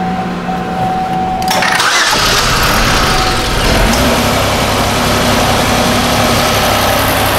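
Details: 2005 Chevy Equinox 3.4L after repairing a damaged wire to the engine main relay that cut injector power: short crank, fires promptly and settles into a steady, even idle with no stumble or misfire; healthy start.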